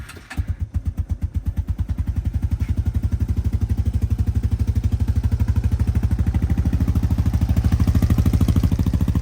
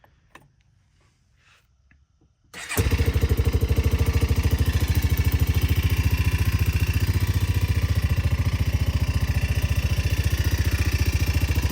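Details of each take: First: 2000 Arctic Cat 250 ATV (red one), recently serviced, cold start after sitting two days: steady, even low thump about three beats a second, no smoke; healthy low idle. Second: 2000 Arctic Cat 250 ATV, recently serviced (carbs, air filter, oil): catches abruptly, settles to a quick, slightly uneven idle with a light rattle; source unknown, valves needing adjustment or something loose suspected.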